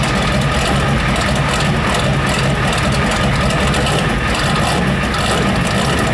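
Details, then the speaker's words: Ford 7.3 IDI diesel first start after new, timed injection pump: loud harsh knocking through a rough, uneven idle with white smoke; owner suspects an injector stuck wide open flooding fuel; diesel knock. "I can hear that knock from out here. It's knocking crazy. I wonder if it's one of the injectors fucking stuck wide open."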